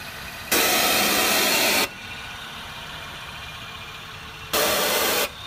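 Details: 2009 Acura MDX idling a few minutes at night: two loud sharp bursts of hiss from the engine, the first over a second long, then shorter, above a quiet idle; source unknown.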